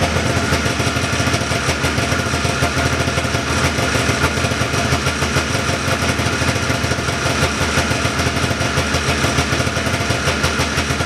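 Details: 1979 John Deere Cyclone 340 two-stroke snowmobile after carb cleaning: steady, slightly fast idle with even crackle, no stumbles or misfires, running cleanly; air box still off. Normal idle.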